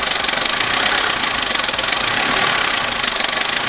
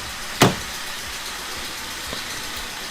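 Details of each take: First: Abandoned Vauxhall Corsa, just started first time on a new battery, one warning light on dash: fast light tapping over a noisy uneven idle with hissy top end; very tappy, owner hopes a service fixes it. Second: Abandoned Corsa engine after repairs, warning light now off: slightly rough on first start, then steady, even idle with no misfire, knock or hunting, one sharp click early; much better than before.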